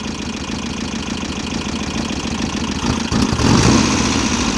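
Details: VW Type-3 Fastback air-cooled flat-four, first start after reinstalling the engine with its loose heads retightened: fast, light ticking over an uneven idle that gets busier toward the end. The owner suspects wrong valve clearance and will readjust.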